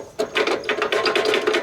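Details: Cub Cadet 2100 PTO clutch bearing spun by hand after removal: gritty, rattling bursts several times a second with each turn; worn bearing behind the loud noise, being replaced.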